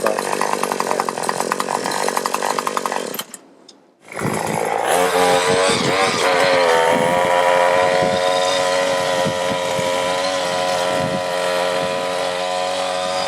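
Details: New Troy-Bilt TB2044 XP 27cc two-stroke straight-shaft gas trimmer, 40:1 fuel mix, first start after priming 10 times: catches after brief pause, holds steady high buzzing run with no misses or surging; running normally.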